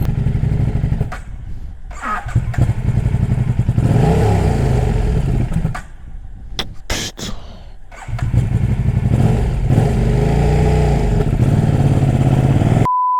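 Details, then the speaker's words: KTM RC8 R twin: uneven, stumbling running with irregular pops and a near-stall before it picks up; the injection rail intake sleeve has popped off, causing a vacuum leak. Owner also plans head gasket work. "Et puis du coup, on va acheter un manchon parce que là, ça repète à rate. Donc c'est sûr que le manchon de comment ça s'appelle ? De rampe d'injection, il a il a repété, c'est obligé."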